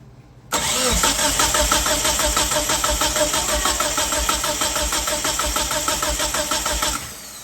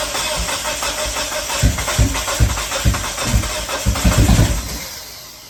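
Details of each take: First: 1997 Mitsubishi Eclipse GSX cranking with fuel unplugged for compression test: even beats about three a second, about 170–175 compression, healthy; engine has unresolved no-start with throttle position code. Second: 1997 Mitsubishi Eclipse GSX, new battery, rewiring after crank position sensor found unplugged and a ground off the AEM 3.5 bar sensor, throttle position code present; starter cranks evenly about three seconds but never catches, crank no-start.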